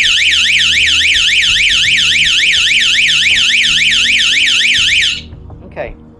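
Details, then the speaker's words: 12 V outdoor motion-sensor alarm siren bench-tested by wiring negative side: loud shrill tone sweeping up and down about three and a half times a second, then cutting off cleanly; siren works normally, quieter than the previous one tested. "that's not near as loud it's different but it's not near as loud"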